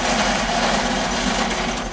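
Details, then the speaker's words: Mercedes SLR McLaren whose front wheel broke off hitting a curb, driven about seven more blocks without it: continuous harsh metallic scraping and grinding over the engine as it creeps along, the bare hub dragging on the road. "it turns out a customer called that the uh front wheel broke off the McLaren when he hit a curb and that wasn't so bad until I get down here and find out he drove another seven blocks without a wheel"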